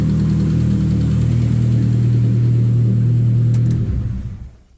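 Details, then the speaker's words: Modified Metro Turbo (K-series) after refitting a forgotten ignition live into the new wiring loom: a strong, even, deep drone held at high revs, then a clean fall-away as the throttle closes. It revs nicely and runs healthy. "so that was that bit done I was happy with that that revs nicely as well"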